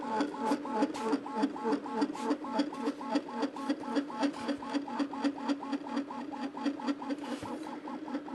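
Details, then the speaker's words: Anycubic Kobra 2 3D printer during first-layer test, injection-molded base: rapid regular whirring buzz with droning hum rising as printing speeds up, louder than it should be; frame resonance amplifying noise. "this is why I don't like it when companies use cheap injection molded bases for their machines because it just adds a bunch of extra noise there's a bunch of additional resonances and basically you get this sound amplification going on and it makes it kind of loud and obnoxious"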